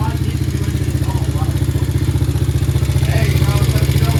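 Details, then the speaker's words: 125cc Chinese quad (Honda 125 design) idling steady, smooth and even with no misses or surging, after fixing hard starting and stalling. Cause was a dirty pilot jet, crud in the bowl and a mixture screw leaking past its threads, cleaned and sealed. "The thing sat there and idled and ran for 40 minutes. Not a problem, not a hiccup. Nice and smooth. Absolutely perfect."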